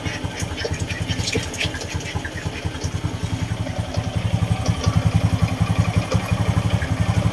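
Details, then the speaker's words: Honda XRM 125 single-cylinder motorcycle just after a DIY oil change, started on one click; steady even putter at idle with regular firing, no knocks or misses; engine running normally. "Sarado na po natin tapos i-start natin yung motor. Yan po, okay na po siya mga kapatid. One click lang."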